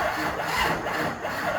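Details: HMMWV Humvee with a Duramax LBZ swap and FASS lift pump, on its first start attempt: a short stretch of steady cranking churn that never catches; owner suspects the battery is low.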